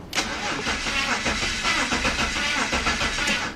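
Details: Steady, even cranking for several seconds with no firing on a BMW 5-series (525i/528i/530i/540i) that cranks but won't start, with no instrument cluster lights; blown fuses are to be checked next.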